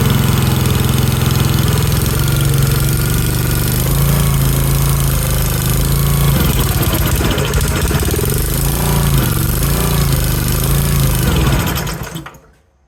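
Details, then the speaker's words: Pioneer BS200 paint line striper engine after repair, freshly fueled: it catches and settles into an even single-cylinder chug with no misses, healthy, with no carburetor adjustment needed. "okay that sounded good yeah baby all right I'm going to finish putting this back together since it's started up"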